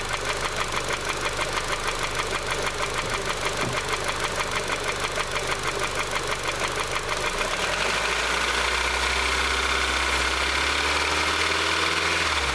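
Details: Honda CR-V petrol engine with sudden knock, owner suspects a loose tappet before valve adjustment: sharp, steady knock about three per second at idle persisting when revved, not louder with oil filler open; internal engine knock.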